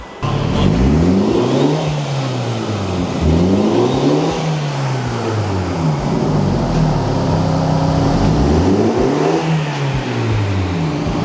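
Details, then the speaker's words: 2022 MINI John Cooper Works F56 revved after installing an Eventuri cold air intake: clean repeated rises and falls in revs, climbing smoothly and dropping back with no misses or rattles; healthy engine. "Sounds good. Well, everything works, everything's buttoned up."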